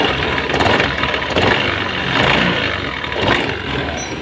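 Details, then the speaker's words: Honda Beat Pop scooter running; loud, rattly, shrill grinding from the CVT. Mechanic's analysis points to a worn roller housing, which gets replaced. "Di sini suaranya berisik sekali, kedengar dari suara yang telah dibunyikan sekali lagi. Disitulah. Menurut analisa kita, di sini adalah mengarah kepada rumah loader yang telah aus."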